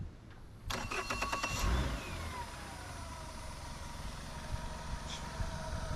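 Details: Sea Ray boat engine after a new fuel line and new idle air control valve: it cranks about a second, catches cleanly and settles into a smooth, steady idle with no misses. It starts and runs healthy; the old IAC had idled it around 580 rpm.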